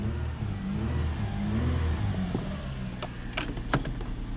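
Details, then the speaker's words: 1994 Lexus ES300 3.0 V6 automatic, 168,000 miles: it engages in reverse, but in drive the engine revs freely with no load or pull, so there is no forward engagement; the transmission fluid later looks black and dirty. "Yep, it engaged in reverse. Neutral. Drive, nothing."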